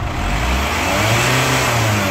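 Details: Chevrolet Captiva FL turbo diesel after turbo and fuel-system repair, revved to 2000, 3000 and 4000 rpm: clean, smooth climb with no turbo groan that previously appeared around 2000 rpm; sounds healthy.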